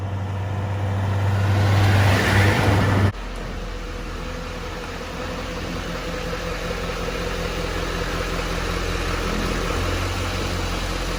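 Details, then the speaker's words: 2011-16 Duramax LML diesel truck after Airdog lift pump install, on hoist checking for leaks: steady, even idle clatter with no whine or ticking; smooth, healthy, new pump very quiet. "We are looking good. Really quiet too. I like how quiet that pump is."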